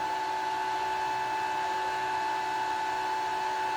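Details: Gramercy Place Garage CO-testing exhaust fan: after the reset switch, with the sensors not communicating, the fan runs at 100% speed, which is correct with no sensor signal; steady, constant high whine from drive and fan.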